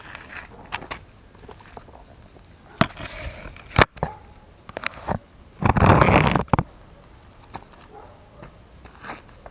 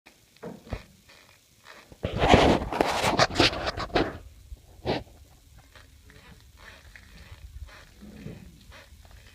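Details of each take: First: E-TWOW S2 scooter rear suspension worked by hand after Teflon washers were fitted between the swingarm and its bushings: only dull knocks and rustles, the earlier squeak gone. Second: E-TWOW S2 scooter: short creaky squeaks about twice a second as the rear suspension flexes, from dry rear swingarm bushings; fixed by fitting Teflon washers at the swingarm.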